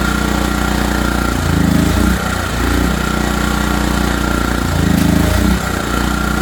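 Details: ETQ3000 portable generator after repair, choke on: small engine runs steadily with a mild surge and settle now and then as the governor hunts, no knocks or misses; normal running.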